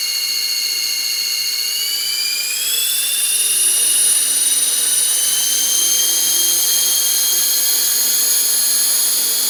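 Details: Model helicopter spooling up: shrill steady whine rising in pitch then holding; cause unknown despite already oiling main rotor shaft, motor, main gear, tail drive gear and tail pitch bearings.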